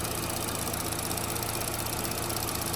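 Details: 2012–2018 Chevy Sonic/Cruze, 1.8 non-turbo Ecotec, brought in for a rough idle, just restarted after the fix: steady, even idle with no misses. Fuel trim went from about 40 before the fix to near zero after; a normal idle.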